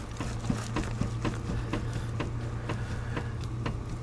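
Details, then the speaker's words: Raised front wheel of a Ford Crown Victoria spun by hand: faint regular clicks about two a second over a steady low hum, felt clunking; worn, crunchy wheel bearing hub assembly. "don't know if you can hear that clunking I can feel it but this way here it's not making any noise when I spin it but it is oh there it is yeah okay and so that tells me it's bad"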